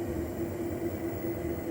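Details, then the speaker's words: UREVO SP1 Lite treadmill, about six months old, with a problem that started suddenly: steady hum with a fast dull thumping, about five beats a second, felt as vibration. Owner believes it is too fast to be the belt; cause unconfirmed. "kind of that thumping or vibrating noise in there which again seems to be going too fast for it to be the belt"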